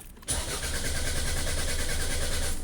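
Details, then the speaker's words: 2004 Toyota RAV4 cranks evenly for over two seconds without firing using the old key, security light on; immobilizer not recognizing key, so fuel is cut. Starts once the new key is used; the old key was the original fault. "No start. Okay, then we just change to the new key. Security light is out and we can start the car. So, the original problem was that key."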